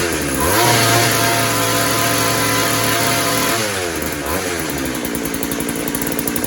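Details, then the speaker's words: Small two-stroke posthole digger test-run after a carburettor install, no carb adjustments available: steady fast even buzz settling slightly lower, no misfire or stumbling; runs normally. "No adjustments. So. Alright though, but it does run. Runs pretty decent."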